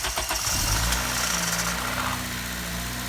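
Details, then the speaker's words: High-mileage Honda Civic Si (K20Z3), first start after new timing chain tensioner fitted: brief cranking catches within half a second, revs flare, then settle to a steady idle with no rattle standing out. "everything's back together right now on it got the new tensioner in and I'm scared this is gonna be the initial startup right now so will midnight start or will ánot"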